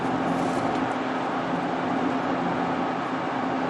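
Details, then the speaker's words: 2003 GMC Jimmy while driving: a steady low howl under the road noise, suspected front wheel hub bearing, possibly the right one; it doesn't change when steering left or right, so the side is unconfirmed. "Just picked the customer vehicle up, and as you can maybe hear, it sounds to me like a wheel hub howling."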